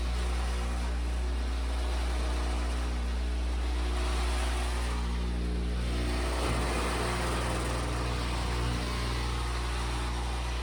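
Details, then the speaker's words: Whirlpool Duet washer on rinse, drain, spin: deep, steady droning hum with rough buzz as the pump-to-drain hose vibrates hard; owner suspects the drain pump, unconfirmed. "Okay, we're just going to do a rinse, drain, spin. We can hear that vibration I'm talking about."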